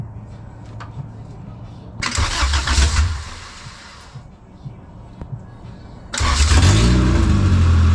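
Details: JDM Honda Civic EF2 with B18C Type R swap, converted to EFI on an OBD1 harness, first start: short crank fades, second try catches, revs up and holds a strong steady run; starts normally.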